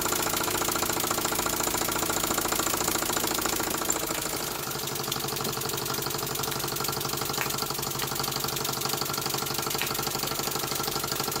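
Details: Small model engine, likely the vertical steam engine just fired up, belt-driving a homemade Baker fan as a working load. Quick, even chuff beat a little under two per second holding steady; normal running under load.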